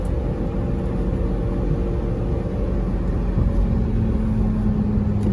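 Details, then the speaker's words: 2008 Lamborghini Gallardo Spider driven on city streets after replacing the front control arm bushings with Ferrari F430 bushings: steady low road rumble and engine hum, with the former creaking and clicking gone, smooth and quiet. "it's nice and smooth nice and quiet rides great"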